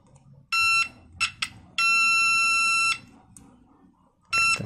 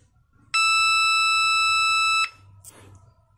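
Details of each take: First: Homemade 9 V buzzer continuity tester (alternative to a multimeter) checking a transistor: several clear high beeps, one held over a second, each time the probes touch, continuity both ways; transistor is shorted/dead. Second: Homemade 9-volt continuity buzzer tester on a coil/inductor winding. One steady beep under two seconds, lower in pitch than a direct short because of the slight resistance, with no dropouts. The winding is intact and connected normally.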